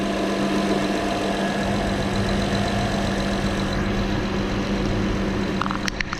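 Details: 2012 Acura TL petrol engine idling after drive belt tensioner replacement: steady, even idle with a smooth belt whir and no chirp, squeal or rattle. Belt and tensioner are running quietly.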